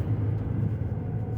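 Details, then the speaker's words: Car driving around 35 after a wheel bearing repair: only steady low road rumble and slight outside noise, with no growl or rumble from the wheel bearing that had been heard at the rear before. "Ves ahorita estoy nada más lo que es normal un poquito de ruido de afuera pero ya no se escucha el rumbar del ba"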